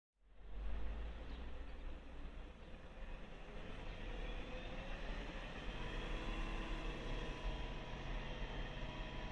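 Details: 2001 BMW E39 540i M62TU V8 running: high wavering whine over the low engine note, later with a VANOS solenoid code and check-engine light; solved, broken timing chain guides.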